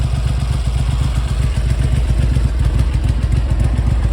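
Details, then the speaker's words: Triumph Hurricane X75 triple running rough after restoration. The warm idle is lumpy and slightly uneven, firing on all three cylinders but imbalanced; the carburetor slides need balancing, and the carbs are to come off. "but it is a a little inbalance so I think the uh slides need need some balancing up"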